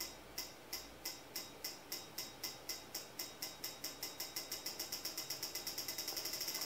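Sharp, crisp ticks, about three a second speeding up to around seven, steady and even: the injector is firing normally on the tester.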